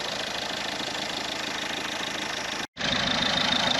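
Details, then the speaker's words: Ford Mondeo diesel idling after leak-off pipe clip repair: steady idle, even clatter about three per second with hiss on top; previously ticking fast and sounding like no compression, now sounds much better, normal idle. "Yeah. Maybe just switch there for diesel then. She sounds better now."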